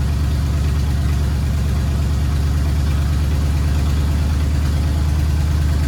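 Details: 1979 Ford F100 V8, sat ten years, idling after cleaned carburetor installed: deep, steady idle with even low pulse around three beats a second; normal idle.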